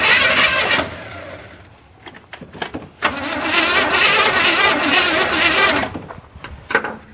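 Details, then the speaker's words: 1981 GM square body truck that sat in a field 25 years, new ignition module and plug wires, weak battery: catches on primed fuel, runs a rough second or two, dies, coughs again; sputtering start, fuel supply uncertain. "I don't know what the fuel's like we're trying to pull, but hey, it's trying. Gotta remember it's sat for 25 years, so I think I'm out of battery."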